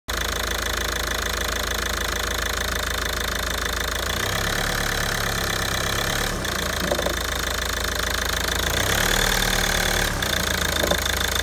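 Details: 2009 Ford S-Max 2.0 TDCi diesel, 57,000 miles, idling with a steady, fairly regular knock about three beats a second; owner also reports a whine at switch-off. Cause unidentified.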